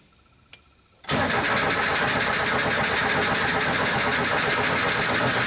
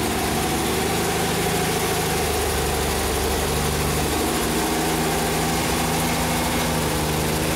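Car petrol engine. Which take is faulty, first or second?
first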